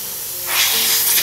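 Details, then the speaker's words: Airbrush with water in cup and head cap deliberately loosened; quiet start, then steady high hiss of escaping air with no spray note, bubbles in cup and no water out; air leak from loose head cap. "je vais desserrer un peu plus le capuchon de la tête. Regardez ce se passe. Encore une fois, nous obtenons des bulles dans la coupe de l'aérographe."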